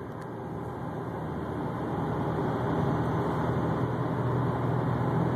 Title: 2004 STI whining humming sound